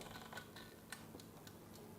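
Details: 60-minute mechanical microwave timer with bell, wired for manual operation after PCB failure, turned by hand: light quick ticks with a few sharper clicks; escapement ticking normally.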